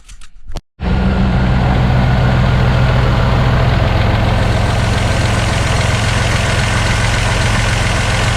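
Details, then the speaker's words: Barn-find Buick Regal Turbo with new plugs, wires, in-tank fuel pump and fuel filter starts and idles with a steady uneven lope from one dead cylinder, traced using an infrared thermometer on the header tubes. "so that starts up and runs still got a little bit of a misfire"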